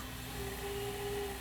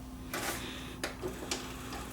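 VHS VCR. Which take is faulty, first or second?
second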